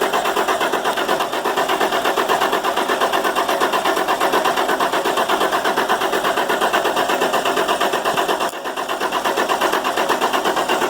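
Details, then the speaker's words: International MaxxForce DT466 diesel that starts cold but won't restart once warm: steady rhythmic cranking at about eighty beats a minute that never catches; oil leaking past the injector o-rings is blamed, and the o-rings are to be replaced. "all right co-ed oil that's the injectors leakin it's one of them Huck's pretty common problem"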